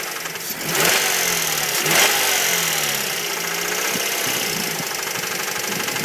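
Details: 2006 Mazda 3 SP23, 105,000 km, fully serviced, idling then revved: deep uneven hammering knock plus light tick rising with revs, started near 80,000 km and worsening; owner highly suspects No.1 big-end bearing, unconfirmed.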